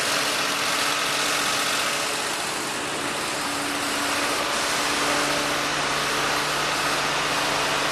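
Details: 1948 Ford F-5 truck, cold start after sitting unrun for over a year, on choke: steady, even idle with a smooth beat and no knocks or misfires; the engine is running cleanly, a good start.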